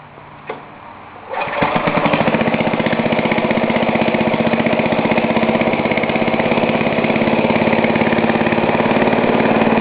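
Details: Ariens snowblower, cold pull start at half throttle with choke after primes, following new fuel line and fuel cutoff replacement for a leaking carburetor; one pull, settles into a steady even single-cylinder chug, a healthy start.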